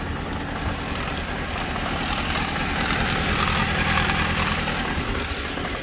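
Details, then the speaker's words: After repair: even, steady idle with a smooth low hum and no knocks, squeals or rattles; sounds better, repair done. "Sounds better, yeah? Yes, sir."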